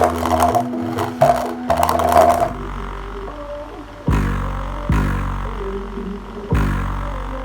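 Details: Subwoofer after repair, voice coil reglued with sawdust and superglue and dust cap refitted, test playback: deep bass notes thump and ring out cleanly with no rattle, buzz or scraping from the cone; playing normally.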